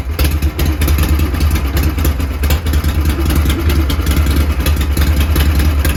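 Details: Bratted-out Harley Shovelhead V-twin running again after troubleshooting and soldered wiring repair: a deep, lumpy low rumble holds steady with no misses or knocks, running normally.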